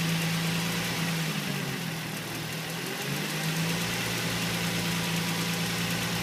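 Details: 2005 Nissan 350Z at idle: fast light ticking about four per second, seemingly from below the intake manifold; owner suspects injectors or hydraulic lifters, not confirmed.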